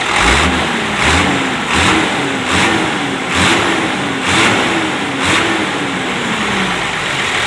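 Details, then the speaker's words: Truck that lost power with an air-leak whoosh at high RPM, after tightening the loose intercooler-to-intake-manifold clamp: repeated blips rise and fall cleanly with no hiss or whoosh; air leak gone, intake sealed. "Jadi untuk suara seperti angin bocor sudah tidak ada mas bro ya."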